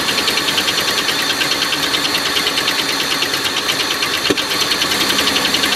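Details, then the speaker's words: Oldsmobile Silhouette van, jump-started, rough idle with a fast metallic clatter and stumbling misfire; the knock fades when revved, so owner doubts rod knock; a loose rocker arm bolt caused the noise and misfire. "Still drives and everything, just runs a bit rough because of that knock. Kind of goes away when you rev it up, so I don't think it's a rod knock."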